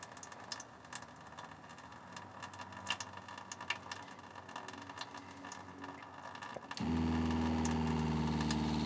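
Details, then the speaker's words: Winnebago Revel fresh-water pump with newly installed accumulator tank, faucet open slightly: after a quiet stretch the pump kicks on with steady, even hum without cycling; running normally. "now the pump is turning on and it's turning on continuously for a"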